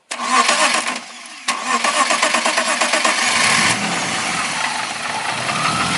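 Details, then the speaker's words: BMW E36 petrol after the fuel pump relay fault (pins 30 and 87 not connecting) was corrected: quick crank, clean catch, then steady idle that rises briskly with throttle and settles back; starts and runs normally. "sudah nyala normal ya. Kita gas juga sudah mau."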